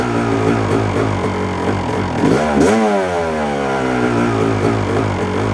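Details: 1997 Yamaha YZ250 two-stroke, 10–15 minutes into warm-up: idles unevenly, stumbling and surging, worse on throttle and in gear; won't idle alone long. Owner suspects crank seal or crankshaft, not confirmed.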